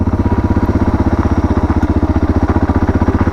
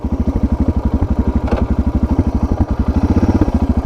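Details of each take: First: Suzuki DR650 single after carburetor and airbox mod with aftermarket exhaust, riding at 30 km/h in second gear: even, deep thumping about four beats a second, steady under light load, no misses or rattles; running great, lower note than stock. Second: Suzuki DR650 single after carburettor and air box modification, just after turning a carb screw about half a turn: loping, uneven chugging idle with pops; owner finds it less responsive and plans to reverse the adjustment.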